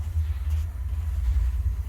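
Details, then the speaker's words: On a newly installed Rheem gas water heater, the pilot is lit and the temperature set, then the igniter lights the main burner with a low, steady rumble that settles into an even roar; normal ignition. "That's the sound we want to hear."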